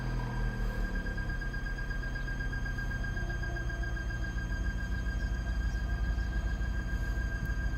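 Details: Vauxhall/Opel Zafira B 1.6 petrol engine running with a thin, steady high-pitched squeak over the low rumble from the engine bay; cause unknown.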